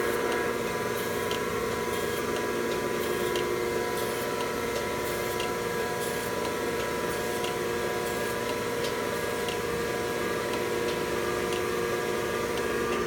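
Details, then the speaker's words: Thompson 8x24 surface grinder test run: spins up to a steady, even hum with a light regular tick, no grinding or knocking; runs smoothly. "Nice run. Yeah, they built a good machine."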